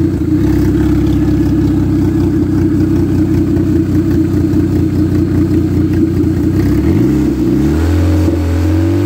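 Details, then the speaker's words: Ex-race Neon four-cylinder on a floor test stand: smooth, even idle that climbs cleanly in pitch as the throttle opens, no knocks or misses; good oil pressure, no coolant bubbles, a healthy engine. "yeah good this is really a good little engine"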